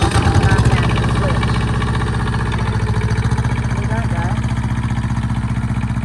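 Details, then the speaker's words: Thermo King TriPac small diesel bench-tested off the truck, no coolant connected, run briefly: fires up and settles into a steady even chug about three beats a second; no knocking, healthy. "Just don't want it running long since the coolant's not running to it. So cut it off. Just wanted to hear it start."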